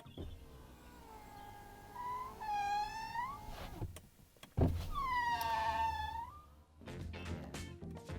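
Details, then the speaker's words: Brand-new Ferrari Roma: a squeaky, creaking whine that rises in pitch as the power window glass travels up and down, repeating on the next stroke; the window is noisy and the cause is not stated. "Brand new car, and it makes this noise when you put the window up and down. Listen."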